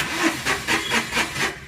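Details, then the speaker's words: Tata Nano Twist XT that stopped while driving, check engine light on: the starter turns the engine over in quick even whirs, about four per second, but it never starts; the fault was diagnosed as a failed ECU, and a replacement needs programming. "ഇതുപോലെ crank ആവത്തേ ഉള്ളൂ. Finally നമ്മൾ ഇതിൻ്റെ problem diagnose ചെയ്തപ്പോൾ കിട്ടിയത് ഇതിൻ്റെ ECU ആണ്. ECU ആയിരുന്നു fault."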